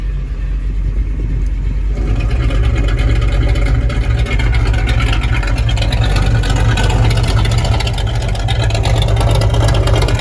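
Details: 1967 Mustang Fastback 428 Cobra Jet V8, cammed, 7-blade clutch fan and Griffin radiator, no overheating: deep steady low rumble with even, slightly lumpy beat, no knocks or ticks; healthy idle.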